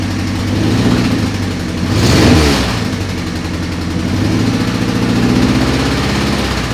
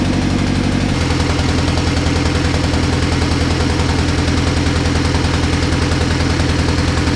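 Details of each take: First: 1988 Honda CRX Si, B16A swapped for a B18C Type R engine and transmission, first start: catches and settles to an even idle, one clean rev around two seconds dropping back smoothly; sounds healthy. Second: First start of a B18C Type R engine swapped into a 1988 CRX Si: a loud idle with an uneven, stumbling, knock-like beat. It is a misfire.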